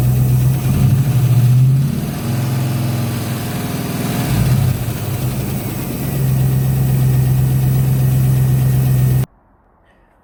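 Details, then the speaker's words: Ford Capri V8 idling with very low oil pressure of about 5: a steady low rumble with a faint regular knock. Owner fears a bottom-end problem and is first checking whether the exhaust is knocking; cause unconfirmed. "so before I do what Norma do she's jumping to the worst-possible-case scenario possible which is that the bottom end of the engine or something inside the engine it's causing this noise it's knocking noise"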